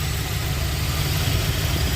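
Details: 1979 Lincoln Continental Mark V V8 after new distributor and tune-up, timing set at 14°, vacuum advance connected: smooth, even low idle rumble with no misfires, stumbles or ticking.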